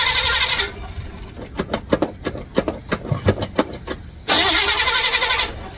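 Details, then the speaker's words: 1955 Chevrolet Bel Air, carbureted, started via bypass ignition switch wired to battery positive: starter cranks at about five or six beats a second but never catches; switch found good, no fuel reaching carburetor; crank no start, fuel starvation. "wonder if it's getting gas something's going on unbelievable he's getting any gas maybe that's why it's not turning"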